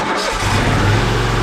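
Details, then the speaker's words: TimberKing 1620 sawmill engine after swapping the weak stock battery for a larger-CCA motorcycle battery (it needed jump starts below about 40°F): a brief crank catches almost instantly and settles into a steady, healthy run. Normal start. "Now that's the way it's intended to do. When I'm ready to crank it up now, I have full confidence that I can get it cranked up without having to pull up here and whip out the jumper cables."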